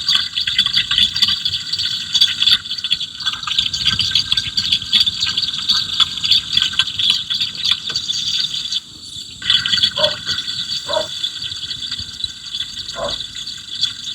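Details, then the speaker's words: Running engine, electronic stethoscope probe on the AC low-side line: steady, high, even hiss of refrigerant flow with no rattles or surges; refrigerant flow sounds normal. "Tapos dito um narinig din natin yung flow ng refrigerant dito sa ating bandang ah law side."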